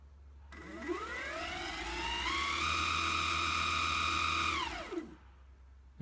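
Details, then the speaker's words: Evolve One electric skateboard after installing the replacement motor, with the belts tensioned: a smooth whine climbs to a steady pitch, holds, then winds down cleanly. No grinding or locking up; the motor runs healthy. "so let's just turn it on down there get our remote hey that sounds delightful"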